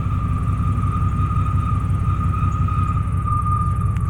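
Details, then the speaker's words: 1995 Chevy Silverado K1500 Z71 with 415,000 miles at idle: a steady high moan holds over a lumpy, even idle rumble; the owner calls the noise weird and it comes and goes; source unclear. "now when it comes back it sounds weird by the way I don't like that noise"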